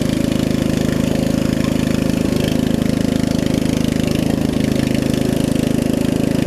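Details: Murray riding mower with a 16.5 hp Briggs engine after a new carburetor, new fuel lines and a valve adjustment, with a slight exhaust leak: steady, even single-cylinder thump with no misses or knocks that idles down very low; normal running.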